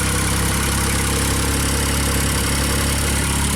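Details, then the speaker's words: JLG Baby Scissor lift small engine on a cold day after reinstalling the crankshaft position sensor, screwed in then backed out 2 turns; at startup it idles steady and even with no surging, a normal idle before functions are engaged. "So, start up, idle fine, right?"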